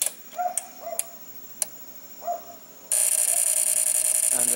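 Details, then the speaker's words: Relay-type voltage regulator (multi-tap transformer, three boost/buck relays) acting up after a household power outage: scattered clicks, then a harsh steady buzz from the over-voltage section as a relay chatters trying to latch; cause was a faulty capacitor supplying the LM324 quad op amp. "I think that that seems to be a relay that is trying to latch, so I'll have to open it and check it out."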